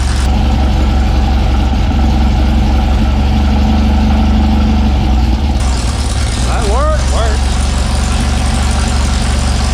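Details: Sand rail engine just started with the starter button after the fuel pump needed grounding: loud, deep open-header rumble settling into an even, steady idle with no misses; fresh engine running healthy.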